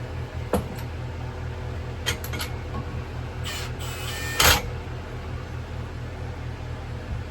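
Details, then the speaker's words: 2000–2005 Power Clean 2000 PSI pressure washer with 3.75HP Briggs & Stratton engine, primed with brake cleaner: pull-start bursts and sharp pops, catches briefly and dies each time. "See, look now, now it really wants to fire off."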